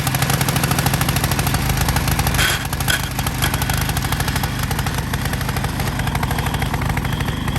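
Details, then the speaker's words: Vintage MTD tiller model 218-430-205 with 5hp Tecumseh engine, curbside find, air cleaner missing, black oil: small single-cylinder idling with steady, even firing pulses, no knocks or misses; runs normally at idle. "All right, y'all. Got her running. Got her chilling."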